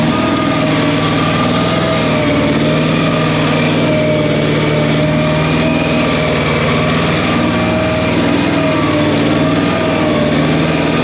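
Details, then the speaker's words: Massey Ferguson skid steer with revived, once locked-up Wisconsin 30 HP engine on old tank gas: steady even drone at constant speed, no knocks or rattles; runs good, owner unsure if slightly missing. "what old hand not runs good I think it's missing or it just sounds like that I can't believe it's running on the gas in the tank"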